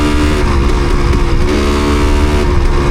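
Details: Yamaha DT250MX two-stroke on the road after water got in the engine: rough, uneven, stumbling firing, plenty of fuel; owner suspects water on the spark plug causing the misfire.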